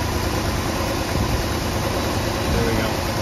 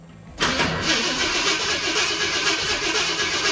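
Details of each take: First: 1966 Ford Thunderbird, first start in years after engine reassembly, idle screw just adjusted with a screwdriver: steady, even idle rumble with no stumbles or dips over background hiss; normal idle. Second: 1966 Ford Thunderbird after sitting years, engine reassembled, no gas yet poured down the carburetor: starter spins the engine about four times a second for five seconds with no firing; cranking no start, no fuel in carburetor.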